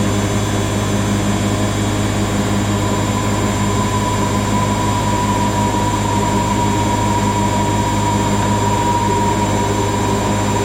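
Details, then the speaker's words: Siemens IQ300 WD14H320GB/02 washer dryer (7kg wash, 1400rpm max), bought listed as noisy on spin, on a Cottons 90°C cycle: wash spin ramping to 1,000 RPM, steady even hum with no rumble or grinding, very quiet. "Spin film. It's very quiet, that."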